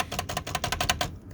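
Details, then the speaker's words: Hermes Rocket typewriter on final checkout before troubleshooting: quick run of sharp taps, about a dozen in a second, each with a thin squeaky ring; the space bar action squeaks, later fixed with red oil. "on Final checkout listen closely what happens here and I'm going to troubleshoot this on camera so there it makes a squeaking noise"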